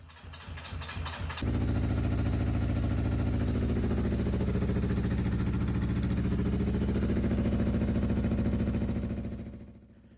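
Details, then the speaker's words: Yamaha XJ400 after carburetor rebuild and air-fuel mixture screw adjustment: engine back up and running but badly, uneven lumpy beat around idle that wavers and dies away, mixture still off; big improvement, later further mixture tuning made it run nicely. "so as you can hear, the bike is up and running badly, but it still runs, so it's a big improvement."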